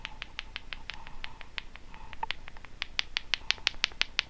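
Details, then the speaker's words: Behringer B300 powered PA speaker, buzzing fault: electrolytic capacitor desoldered from the board rattles when shaken, sharp light ticks about three per second from something loose inside the can; suspected counterfeit, possibly a smaller salvaged cap hidden inside. "you can hear something rattling inside what does that make you think of it's as if they've got a smaller cap inside this one"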